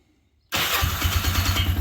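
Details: ATV after a new spark plug was gapped and installed, started with key on and choke on: silence, then a quick catch and the single-cylinder settles straight into a steady, even idle with a regular low chuff; starts and runs fine.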